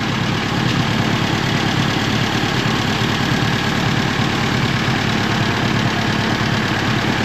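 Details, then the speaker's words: 1950s–60s "doodle bug" (possibly a golf-course or highway mower) idling with the water pump not turning and the head around 180°F on thermosiphon cooling. Steady, even low rumble with no knocks, misses or grinding; engine sounds nice and runs evenly. "Yeah, everything looks really good. And its engine sounds nice. Everything looks even."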